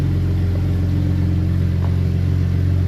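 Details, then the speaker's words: BMW E90 N54 cold start after sitting almost two years on old gas, catless downpipes and two flow-through MagnaFlow mufflers: steady, low, rumbling idle with faint irregular puffing ticks. Owner suspects a small leak at a downpipe, unconfirmed. "sounds like I got a little leak maybe with one of the uh down pipes but um it's catless down pipes the only form of exhaust on this thing are two flow through uh MagnaFlow mufflers and that's it"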